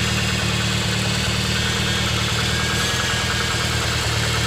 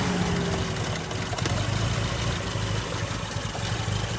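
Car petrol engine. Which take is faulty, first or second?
first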